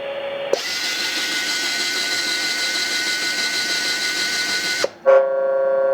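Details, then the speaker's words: US military RT-834 HF transceiver (GRC-106A) retuned from 11 MHz back to 10 MHz: tuning motor whirs steadily about four seconds, then the receive tone returns high and off pitch, not 1 kHz; synthesizer loop unlocked until the 100 Hz control is turned up. "Problems there again. It's off frequency, right? That's not a 1 kHz tone."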